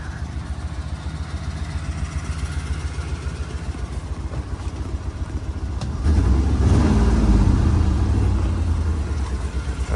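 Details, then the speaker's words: Ford V8 bucket van bought inoperable at auction, now running but slightly down on power: steady idle with a light, regular tick about three to four times a second. Owner suspects an exhaust manifold leak. Ticking at idle. "that sounds like manifold leak to me. I know what I do know is Fords have that same manifold leak like the Chevys do."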